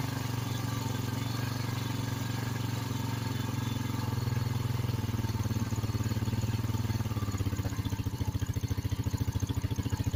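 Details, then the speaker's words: 2006 Honda Rancher after carburetor cleaning (previously died with choke off): single-cylinder runs at fast choke idle, then drops to slower steady putter as it warms; idling normally with choke off. "choke's off. We're idling with the choke off."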